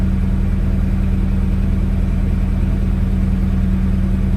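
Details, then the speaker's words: Chevy S10 after replacing the bad injectors, restarted once primed: steady, even idle with smooth low hum, no stumbles or misses; fuel pressure now rises with throttle. "All right, let's go ahead and restart it since it's primed now. That's a lot better."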